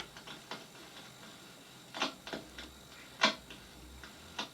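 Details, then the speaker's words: Astor record player powered up during restoration: irregular crackles and pops over faint hiss with no music; speaker and amplifier work but the cartridge and needle are worn out. "hear the crackling so the speaker and the amplifier are working cartridge and needle are stuffed"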